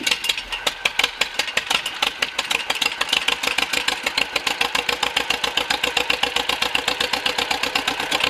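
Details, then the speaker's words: John Deere MC crawler started for the first time in a year, after cleaning dirty points with sandpaper and going through the fuel system: crisp, evenly spaced exhaust pulses at a steady slow tick; normal idle. "Well, she runs. She moves under her own power, and actually got over here next to the barn so I can continue to work on it."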